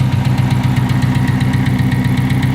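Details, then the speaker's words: V6 engine: rapid, even clacking at the front over a lumpy, uneven idle, abnormal; at minimum hydraulic lifter problems. "Now they make a lot of noise, but you can hear that clacking. That's not normal."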